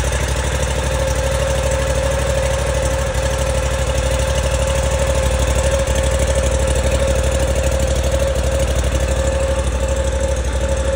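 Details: 2019 Ferris IS3200z zero-turn, 37 hp Briggs & Stratton EFI, about 1500 hours, previously losing power and backfiring at high idle; started after a repair step with the air intake reconnected: steady, even low drone, no stumbles or backfires. Normal running.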